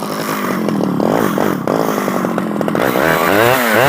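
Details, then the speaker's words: Stihl 011AV two-stroke chainsaw after a carburetor rebuild: it revs and bogs unevenly with the pitch wandering. It is hard to tune, with the low jet turned all the way in, and the owner suspects it needs crank seals. "my guess is because it's uh it's real awkward to tune it's probably going to need some crank seals it's just a guess you know um I just rebuilt the carburetor and all that stuff is good so whenever it's finicky to tune like that you know probably needs crank seals"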